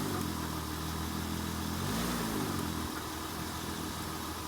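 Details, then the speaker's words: 2002 Acura TL-S idling in drive with a throttle blip, watched from outside the car; engine rocks with a dull clunk, much less movement in reverse, showing worn front and side engine mounts that need replacing. "you can definitely see all that movement and hear that clunking shows exactly why we need to be replacing these mounts"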